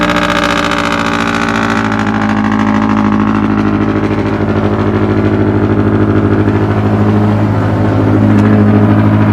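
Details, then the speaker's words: Scion FR-S (FRS/BRZ/86 boxer) semi-cold start just after installing CNT Racing catless unequal-length headers: loud, deep, steady exhaust drone at a fast idle easing down slightly, running evenly; very smoky at first. "It's so loud. It's so loud. Alright, it's quieting down a little bit."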